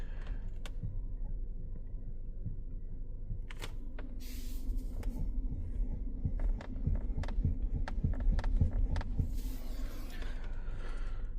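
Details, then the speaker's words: Jetour Dashing steering knock: irregular sharp knocks and clicks from the steering over a low, throbbing cabin rumble. The same fault occurred on an 8 Pro Max, which got a tightened steering column, then a replaced steering rack. "В рулевом управлении слышен стук."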